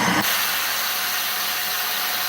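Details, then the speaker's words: Vacuum cleaner with no suction, tested with the hose on and then the wand attached: a loud, steady, high-pitched airy rush returns with the wand on as the relief valve bleeds air; the clog is in the wand. "It came back. That sound came back. That means if you're doing the if you're following this the way I'm showing it, the suction should be in the wand. The problem is in the wand somewhere and that's how we break it down."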